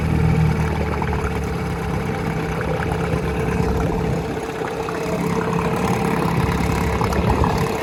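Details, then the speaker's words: 1956 Johnson 7.5hp AD-10M two-stroke outboard, fitted with a standard OMC fuel pump and single-line tank and run all week after sitting 4–5 years, runs steady with an even, buzzy putter, no knocks or misses; normal running. "The decades don't really seem to matter. They just tick away and do their thing."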